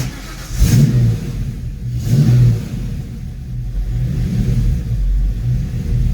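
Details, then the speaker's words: Foxbody Mustang V8 after GT40 tubular intake install: uneven surging and sagging idle, kept running only with foot on the gas and stalling without it. Fuel pressure about 43–44, timing, TPS, IAC and EGR checked, no check engine light. Cause unknown. "I did everything everything you can imagine on this car and I just cannot get this choppy idle to go away"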